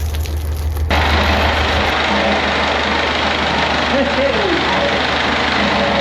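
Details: Perkins AA35001 marine diesel in steel-hull sailboat SY Carla, first start after almost a year laid up and winterized, fuel pump primed: steady, even, smooth low idle beat behind cheering, cooling water flowing, some smoke; normal healthy idle.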